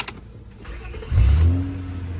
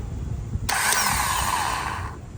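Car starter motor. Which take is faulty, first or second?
second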